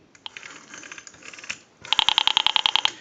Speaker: an indication that it's improperly wired at the rotary because it's supposed to squelch that noise the clicking the rotary dial pulse signal it's supposed to squelch that out